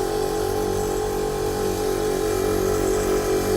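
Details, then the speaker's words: 1998 Chevy Blazer air ride compressor, newly wired and expected to fill the tank in about 2 minutes: even buzzing hum with a quick steady pulse, no knocking or squealing, compressor running normally. "There we go. Shouldn't take it. That should take approximately 2 minutes to fill that tank."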